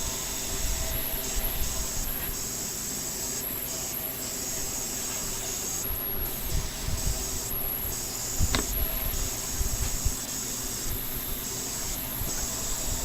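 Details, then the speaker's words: ASRock Z170 with i5 6600K, just powered up past POST: constant airy hiss over fan noise, source unclear, owner suspects the motherboard and wonders if that's what's wrong with it. "Huh. I think the motherboard's making a noise. That's weird. Maybe that's what's wrong with it."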